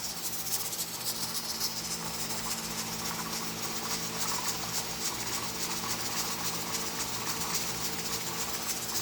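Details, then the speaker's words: Pressure canner processing carrots, with the heat turned down from between medium-high and high. A soft steady steam hiss with gentle, even weight rocking replaces the earlier loud rattling jiggle; it is holding pressure normally. "but it's starting to climb down and that's the rock you want it to stay out"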